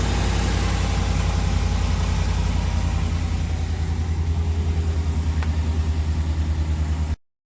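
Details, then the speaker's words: 2019+ Ram 1500 5.7 Hemi, cold start after replacing both cracked exhaust manifolds that caused a tick: deep, steady V8 idle with an even pulse and no ticking; exhaust sealed and healthy. "all right we have new manifolds it's cold let's see how she sounds [Applause] yep sounds like she just use new sweet"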